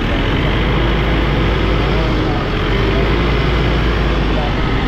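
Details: Mitsubishi Montero diesel idling with A/C on after the noise blamed on the fan belt was traced to the alternator pulley: an even low rumble with no squeal or belt chirp. Normal idle with A/C on.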